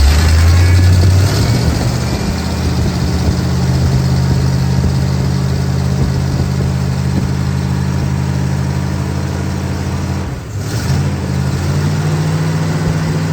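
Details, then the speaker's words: 1965 Pontiac Catalina V8, first start after sitting 20 years apart: quick blip then steady, even low idle with no misses or knocks, smoking from sprayed transmission fluid and new paint; normal idle. "I do think she sounds good."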